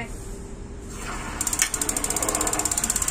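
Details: Gas water heater that lights only briefly, intermittent igniter, water pumped through, gas not yet connected: fast string of sharp, high ticks as water flows; igniter sparking with no gas supplied.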